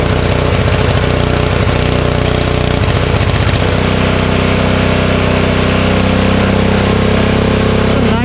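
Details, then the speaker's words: Honda snowblower, unused since the last snowstorm, started on choke with fuel shut off to run the carburettor dry for storage: steady, even small-engine drone, no misses or knocks; runs healthy. "we're going to start it up and let it run out of gas because we're blocking the gas from going in there"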